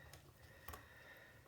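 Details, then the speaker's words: Vintage Cadola manual-wind mechanical watch during reassembly, after oiling setting lever spring: faint even ratchet clicks as crown is turned, no grinding or slipping; winding healthy. "It's winding. All right, she's winding. Yeah, she's winding like a beautiful. Ah. That's the sound you want to hear."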